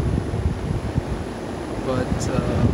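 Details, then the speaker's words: Lennox XC25-048-230 AC outdoor unit after the correct replacement condenser fan motor was installed: smooth, steady low whoosh, no ticking, rubbing, wobble or vibration; normal quiet condenser fan. "that's what it's supposed to sound like nice and quiet and you know there's no vibrations no nothing it's just a thing of beauty man"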